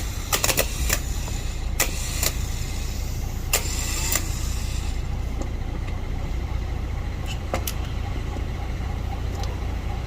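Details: Lexus LX570 starter motor, removed for a no-crank no-start and repaired, bench tested; a few sharp clicks then a steady even whirring hum with no grinding: normal starter run after repair.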